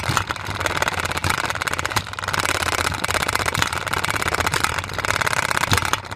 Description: Play-doh container is loud because it's shaking and the Play-doh is unbalanced.